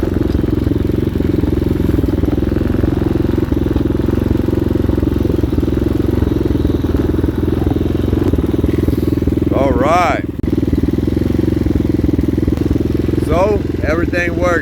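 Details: 2019 Hawk 250cc single-cylinder bike after carburetor replacement, cold day, choke backed out: even low idle holding steady with no stumbles, chirps in background; idling properly, though cutting out around 3/4 throttle when ridden.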